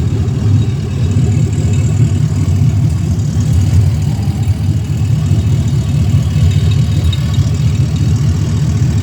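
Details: 2016 ambulance L96 6.0 V8 running on the floor; deep, smooth steady idle rumble, no ticks, knocks or misfires, smoke-free, nearly new engine; thin intake lets some intake noise through; normal idle.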